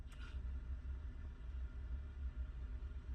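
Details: Petrol car after replacing the faulty immobilizer part, immobilizer light now steady: starts, soft even low rumble with no misses, knocks or hunting; normal idle.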